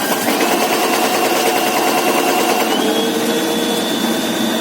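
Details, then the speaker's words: Winch gearbox of a Chinese FO-23 tower crane hoist rattles and knocks hard over its whine, with vibration and impacts while working; owner first suspects electrical trouble (diodes), but the gearbox had to be opened. "такая штука у нас ребята слышите Как оно тарахтит Вот это нам сейчас надо исправить"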